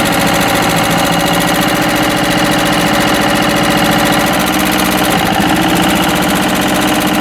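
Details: Westwood lawn tractor's Ruggerini twin-cylinder air-cooled vertical-shaft diesel, previously hydrolocked, after repair; steady, even clatter that picks up cleanly when revved, sounding healthy, hopefully now a perfectly working engine.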